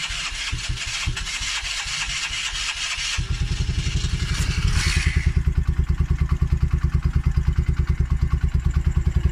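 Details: Polaris Outlaw 50cc quad, a non-runner fixed by cleaning the carb and the built-up pilot jet: uneven cranking gives way to a firm, regular putter that rises on choke and holds steady; normal start and idle.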